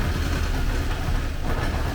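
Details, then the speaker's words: 1979 Porsche 924 fuel-injected engine, first run after sitting, fuel just added: uneven lumpy idle that stumbles and surges, nothing bad heard inside; rough running from loose air-flow meter hoses letting in unmetered air. "it is running i don't hear anything bad in there maybe i just gotta clean itself out"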